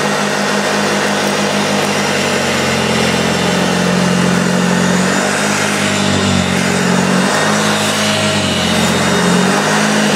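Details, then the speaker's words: Early first-run plastic-hood Hoover Junior 1436 (Mk1) upright vacuum on deep-pile carpet: motor hums steadily but brush tone sags and wavers under load as the really loose drive belt slips. "that is more like it although the fact is this is you properly awkward because it's it's really really loose"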